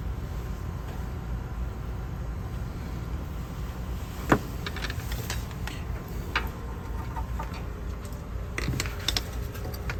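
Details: Pentair MasterTemp gas pool heater that had been clicking and popping, after repair and reassembly: steady even low burner roar with a few handling clicks, no popping or cracking; firing cleanly.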